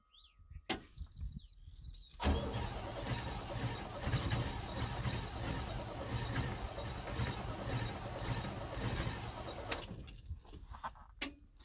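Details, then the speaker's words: 1978 International Scout II, Nissan SD33 diesel, cold, after glowing again: about seven seconds of heavy labored churning before settling. Hard cold start; owner suspects failed glow plugs and injector nozzles; smoky with slight miss when cold. "i have a feeling a couple of the glow plugs are probably inoperable and the nozzles too for the injectors i guarantee you were not spraying just right"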